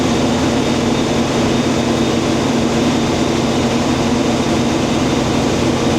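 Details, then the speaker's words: International 1440 combine running with the head engaged after replacing the feeder belt and pulley: even, steady engine roar, no knocks, squeals or belt slap; normal feeder drive operation. "okay we're going to start it up see how it works here we go we're going to start the head up looks good up here"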